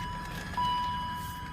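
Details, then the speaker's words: 2001 BMW X5 3.0 squeaks constantly from start-up and never lets up: steady high squeak near 1 kHz over an even idle; water pump or power steering pump bearing suggested, not confirmed. "as soon as you start a car work uh it just squeaks and it precisely don't go away at all"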